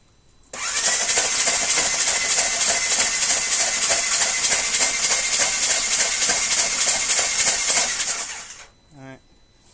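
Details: 2016 Ranger 900 XP sunk in water, water intrusion through the intake: cranked with spark plugs removed to blow water out, fast even ticking starter spin about eight seconds with no firing, engine turning freely.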